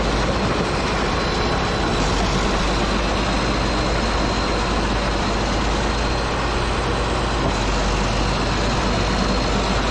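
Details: Caterpillar D8H bulldozer (46A serial, No. 28 cable control unit), sat 15+ years, first run after revival in low gear: steady, deep, even diesel rumble without misses or knocks; running good.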